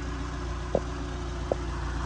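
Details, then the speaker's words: 1982 Ford Cortina Mk V 2.0 Ghia automatic, Pinto four-cylinder petrol, 57,000 miles, original, bonnet open: quiet, smooth idle hum with steady even beat and a couple of light clicks; healthy, in super running order. "Have a little listen to that engine. Knowing these Cortinas as I do, I can assure you that's a quiet Pinto."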